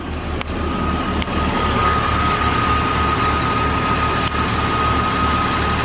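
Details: 2001 Jeep Cherokee Sport 4WD engine idling: smooth even low hum, no ticking, knocking or puffing; headers and header gaskets quiet, no oil leak, original front clip; muffler has a small hole said to be inaudible.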